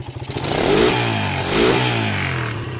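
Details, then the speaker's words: Suzuki Satria motorcycle with battery connected, before modification: engine blips twice to high revs at full throttle and drops back cleanly with no hesitation; normal revving (with battery removed it won't rev; Denso CDI involved). "Oke, sekarang kita hidupkan. Nah, ini kita blyer, kita gas full mau teman-teman, perhatikan."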